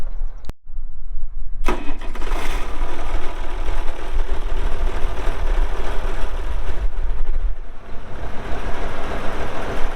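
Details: 1967 Oliver 1750 2WD diesel tractor, 80 PTO hp, 5,917 hours, engine block dry with no oil or diesel leaks; short crank, quick catch, deep steady diesel thump settling into an even idle; runs well, normal start and idle.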